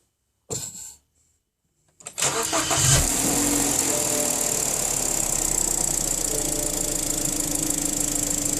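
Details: BMW N45 engine cranks and catches, then settles into a steady run with a fast, fairly even knock about three per second; engine knock.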